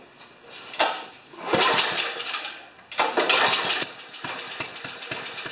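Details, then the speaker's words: Ariens 2+2 snowblower engine, newly fitted coil, reportedly quit after half an hour: catches with a few surges, then a slightly lumpy, uneven idle; sounds rich, needing the idle mixture leaned about a third of a turn; suspected, not confirmed. "uh sounds like it needs just a little bit of Leaning out on the on the idle yet a third of the turn"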